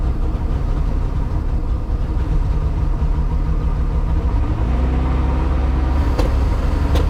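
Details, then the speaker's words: Mercruiser 4.3 engine in a 1996 boat, possibly 30 years old, after new spark plugs: low idle rumble that wavers and stumbles now and then. An intermittent misfire at idle; the fuel pump is suspected and will be replaced next. "well we're still having a little breakup issue but it sounds a whole lot better it's idling I'm trying not to fall it's idling like normal uh but the problem I have is it's just cutting up a little bit still"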